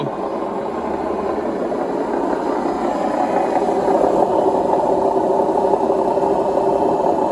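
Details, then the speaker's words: Indesit WIDXL126S washer-dryer found on the kerb, on a spin cycle test: loud, steady rumbling roar with a rough rattle building through the spin. Drum bearings badly worn. "the bearings are really bad yeah i think"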